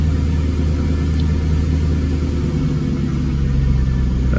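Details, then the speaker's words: 1997 Jaguar XK8 V8 with 12,000 miles, just after replacing bad ignition modules that caused misfires on 4 of 8 cylinders and erratic shifting; engine started from inside the car idles nice and smooth, steady even rumble, no misfire. "All right, we're in the car. Firing it up. Fire in the hole. So far, so good. Nice and smooth."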